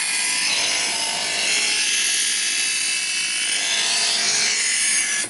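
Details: Chef's Choice Hybrid 220 electric knife sharpener, big knife's next side in slot 1: a steady, high, gritty grinding hiss holds evenly for about five seconds, then cuts off; first stage working normally.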